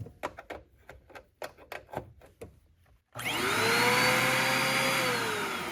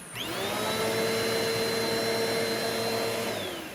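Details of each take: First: Eureka Airspeed vacuum found at curbside, test run: motor spins up to strained, steady high whine while brush roll still spins; restricted airflow from suspected clog. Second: Eureka Airspeed vacuum (a curb find) after a clog was pushed out of the suction path where these cheap vacuums typically clog. The motor spins up to a clean, steady high whine with even airflow rush and no choking; the restriction is cleared.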